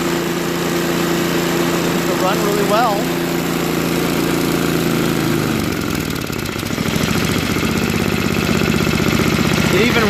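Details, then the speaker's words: Craftsman 524 track-drive snowblower after a quick float bowl and jet nut carb clean (previously ran only on 75% to full choke): electric start cranks, catches and settles into a steady, even idle without hunting; normal. "well and idle no that's very good so we know that the starter works runs well at idle and it will grow warm up you know"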